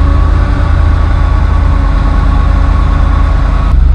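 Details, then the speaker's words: 1966 Ford Thunderbird V8, first cold start after water pump, timing chain and radiator work, full oil pressure: a deep, steady rumble with even firing and no knocks or misses. Normal idle. "seems like it's running okay full pressure"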